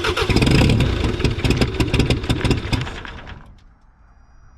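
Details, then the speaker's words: 1984 Mazda B2200 mini truck, 2.2L Perkins diesel, unstarted since 1998 with the fuel system losing prime: it fires with a loud steady clatter, then quietens, with a little exhaust; normal running, a runner. "sound good sounds good it's got a little bit of exhaust"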